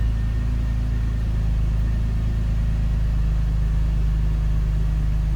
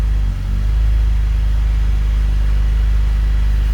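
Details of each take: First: BMW E39 528i, first cold start after new dual VANOS seals and anti-rattle kit, before warm-up: deep steady idle rumble holding level with no dropping or hunting, where poor idle was the former symptom. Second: BMW E39 528i (M52TU/M54) before VANOS seal replacement: deep idle with uneven, lumpy pulse and slight stumbles, rough idle from completely worn dual VANOS seals, also causing hesitation pulling away.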